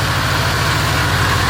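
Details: Car just brought back from a no-start, running briefly with no coolant. A low idle with an uneven, pulsing chug that keeps stumbling instead of settling; it also conks out on the accelerator. Rough lumpy idle, cause not yet clear.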